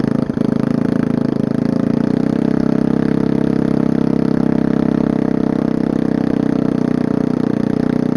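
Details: Old generator engine run without muffler on rusted header pipe, flywheel exposed; loud open-pipe chuffing idle wavers and stumbles, still poor with air filter on. Owner suspects choke, cause unknown. Rough idle.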